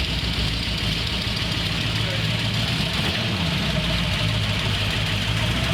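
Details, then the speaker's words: Carbureted car with Winfield performance cam (3/4 or SU1A, unsure), described as snappy, choke adjustable by sound: steady, slightly lumpy low idle rumble, even and unbroken, no knock; normal idle. "This car is snappy, man. The setup in this car. What cam did we put in this? It has a Winfield 3/4 in this."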